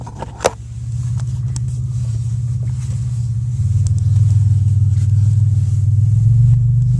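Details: 2001 Pontiac Grand Am engine making a big loud noise from starting, with vibration; heavy rumble that grows louder and rougher as revs rise under acceleration; cause undetermined.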